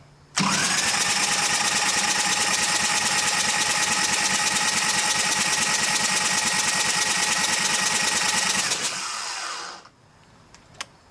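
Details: Harley-Davidson Evo Sportster 1200 chopper, freshened engine, oil pressure switch removed to check oil flow: steady, even starter whir near 140 beats per minute, engine turning over cleanly without firing, then stopping; oil drips appear.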